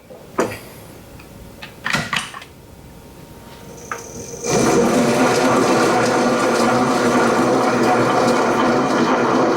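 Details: Precision Mathews PM-1030 lathe after fixing a years-long rattle, traced to an untightened set screw on an external gear, and greasing the external gears. After a few handling clunks it spins up to a smooth, even whir with no rattle; healthy.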